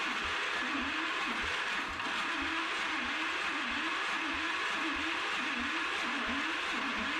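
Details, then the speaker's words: Single-cylinder engine with breakerless ignition: runs steadily with a light regular metallic tick each revolution, sounding like a knock; the flywheel pickup is striking the flywheel in one spot. "So, that was pretty much all I got out of it, but it sounds like it has a knock. And just digging in here, so this breakerless ignition has a pickup on the flywheel, and it's hitting the flywheel in one spot."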